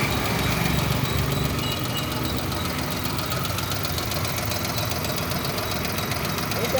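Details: Suzuki Alto small petrol engine at idle: fast, uneven knocking chatter over the running sound; abnormal engine noise, cause not identified.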